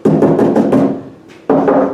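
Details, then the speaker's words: Land Rover roof and body panels while sound deadening pads are being fitted: each knock on bare sheet metal rings out hollow and booming, lingering briefly, like driving inside a big drum. Body panel drumming without deadening. "it driving around in the Land Rover was just like driving around a great big drum you know Ringo banging away"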